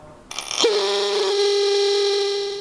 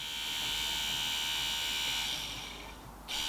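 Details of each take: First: Ford Sierra Sapphire Cosworth brake system electric motor, run on the bench after stripping and cleaning: a loud, steady mid-pitched hum with a buzzy edge. A specialist found the motor shaft vibrating in a worn bush. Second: Ford Sierra Sapphire Cosworth electric brake servo pump motor, tested on the bench after specialist repair of a previous vibrating noise: a steady high-pitched whir with a couple of short dips in supply. Smooth and even, with no grinding or buzz. Normal electric motor running.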